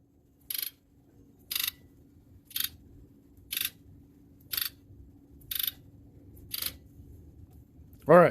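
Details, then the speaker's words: 1997 Ford F-250HD 7.3L Power Stroke with intermittent shudder (suspected cylinder contribution issue, no codes), key on engine off injector buzz test: eight sharp, even clicks, all injectors firing evenly and healthy. "so you can hear them all click and then there was eight injectors also on them pretty even which is good"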